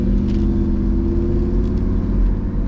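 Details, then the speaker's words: 1992 Mercedes-Benz 500SL (R129) V8 with modified exhaust, at operating temperature, downshifted to second and loaded climbing a hill: deep, even rumble pulling smoothly, no knocks or ticks; healthy V8 under load. "Got a bit of a hill here. The car sounds good. I'm going to downshift it to second. We are at operating temperature and we're going to load it up on this hill so we can get the sound."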